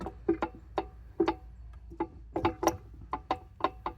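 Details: 1971 Pontiac Formula 10-bolt 8.5-inch posi rear end, opened up, grooves cut inside, flat springs: turned slowly by hand it gives uneven hollow clicks and clunks, about three a second; damaged limited-slip clutch parts suspected, not confirmed.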